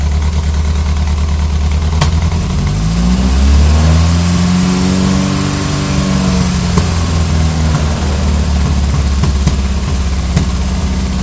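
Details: Ford Pinto: uneven, stumbling idle with lumpy off-beat pulse through a brief rev; engine misfiring, cause not pinned down.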